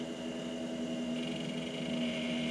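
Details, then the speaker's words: Mid-1990s FIC LEO 486 GVT-2 486DX2 PC with an AWE64 sound card, at power-on: a steady, loud whirring drone with a constant hum and a thin high whine, like water cooling. An unusually noisy fan; BIOS reports a CMOS checksum error from the dead battery. "And with a flick of the switch, we've got a very loud computer that sounds like it has some water cooling"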